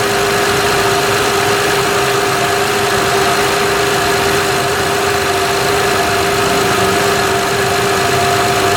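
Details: 2006 Honda Odyssey EX-L with a freshly replaced power steering pump (the original leaked at the shaft), filled with Honda fluid: a steady high whine over idle as the pump groans on air before it is fully primed.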